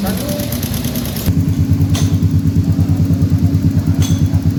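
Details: Honda Beat eSP scooter with a stalling and hard-starting problem, after wiring checks near the ECU socket: single-cylinder settles into a steady thumping idle of about three pulses a second, running evenly without stumbling; normal idle.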